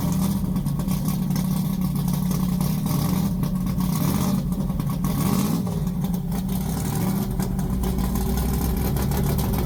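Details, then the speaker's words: Polara 500 with a big-block V8 and 4-speed: a big V8 rumbling at idle with a few throttle blips, no knocks or ticks; healthy engine. "I just like hearing 640 horsepower 505 cubic in of big block Mopar stroker built by my friend Mark at Advanced engine machine"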